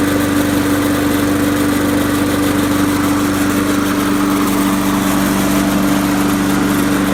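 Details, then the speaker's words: Trash-picked Poulan Pro mower, formerly hydrolocked from too much oil, after an oil change and blade sharpening, now starting on the first pull; steady, even single-cylinder idle with no knocks or misses, light residual smoke; normal idle. "I know it's just trash picked it now starts in the first poll"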